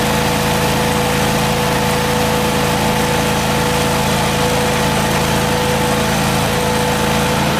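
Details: Miller Trailblazer engine-driven welder, after repair, running under welding load with cables hooked up: steady, even engine drone with constant hum on top, no knocks or misses; running healthy, 120 V outputs also confirmed working.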